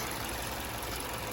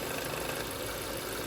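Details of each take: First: 2008 Hyundai Elantra after new thermostat housing, thermostat, coolant flush and new belt: smooth, even idle hum with no rattle or tapping; normal idle. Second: 2008 Hyundai Elantra idling after new thermostat housing, thermostat, coolant flush and belt replacement: light tinny rattle about three to four times a second, first thought to be the belt, traced to a loose cap vibrating; planned fix is a Ziploc-bag gasket under the cap.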